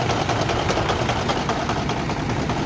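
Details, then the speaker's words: Cummins N14 Celect Plus diesel truck engine at idle: a sharp, regular tapping knock over the heavy rumble, a misfire from a blown injector, found by unplugging injectors to be number 5; little visible smoke from the stack. "And well, I done had blew an injector. I don't know if y'all can hear it on the Cummins N14 Select"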